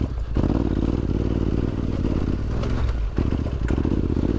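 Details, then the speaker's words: ADV motorcycle with an ECU tune, in second gear on technical rocky terrain: engine chugs slowly and unevenly, knocking as it lugs at low rpm near stalling; the tune now prefers high revs. "you can hear the engine knocking there almost Towing and we continue that wasn't so bad actually"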